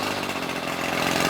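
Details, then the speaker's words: Ryobi Grass Scorpion RCT-2800 two-stroke trimmer, warm restart: short steady high buzzy note, no surging or cutting out; idles nicely. "idles nicely and jobs ready for sale as soon as we replace that fuel line"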